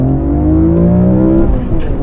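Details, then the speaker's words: BMW E46 M3 after CSL full carbon fiber intake and plenum conversion with CSL ECU tune, Super Sprint race exhaust, recorded in cabin under hard acceleration: strong, smooth rising engine note with deep intake roar, no knocks; healthy pull. "God, it pulls like a freight train. I can't believe it. It just sounds so good."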